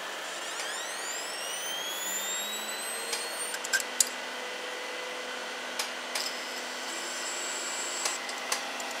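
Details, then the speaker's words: Home server SCSI hard drive that crashed, powered on during boot through the onboard SCSI and RAID controller: rising whine as the drive spins up, then scattered sharp clicks and clattering; failing hard drive. "hear this every now and then you'll hear this thing just start clattering but we go through the boot up screen"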